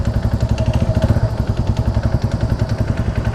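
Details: TVS Radeon BS6 motorcycle at 17,140 km, at low throttle before piston ring replacement: low-speed single-cylinder putter with a dull, uneven knock on each beat, about 200 a minute; piston slap from worn piston and rings, no white smoke.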